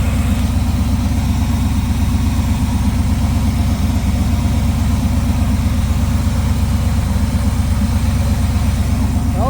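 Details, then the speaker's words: 1979 Trans Am during a tune-up, just after firing on a retry following a possible flood, running on bad gas and poor ignition components. It settles into a steady, even low idle with a firm regular pulse and no misses or knocks. Sounds smooth and normal. "running. How solid that first thing popped up there, too. That's Oh, that's perfect. Sounds like a top."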